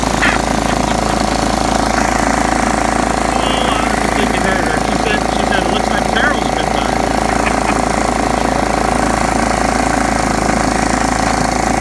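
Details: John Deere STX38 mower, parked about nine or ten years, revived with new battery and freed stuck carburetor float: single-cylinder engine holds a loud, steady, even run with no hunting or misses.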